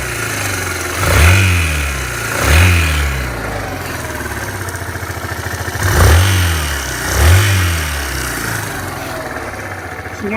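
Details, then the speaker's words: Suzuki Van Van single-cylinder motorcycle at 12,300 km: quiet at idle, but a harsh rattly noise rises with each rev and fades back; appeared about 4,000-5,000 km ago, persists after switching to Motorex, cause unknown. "now while it's idle you don't see any weird noises right but once you started to ready it up you see this sound"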